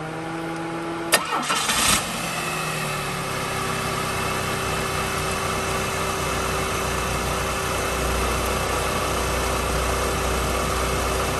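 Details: Chevrolet Cavalier after replacing the tensioner, old cracked serpentine belt back on: brief crank catches quickly, then a steady even idle with no squeal or chirp; belt drive healthy.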